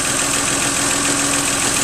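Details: 1997 Geo Metro, 1.0 L 5-speed, after drivetrain restoration with a brand-new engine (it had smoked with no power before); steady, even idle with a bright, busy top end and one faint light tick, sounding healthy.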